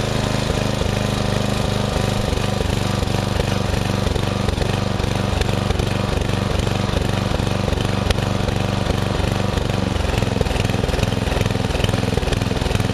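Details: Murray riding mower, first use of the year after long shed storage with a mice nest in the engine, filter unchanged, owner reported surging: single-cylinder engine thumping at an even, steady beat without cutting out; ran normally.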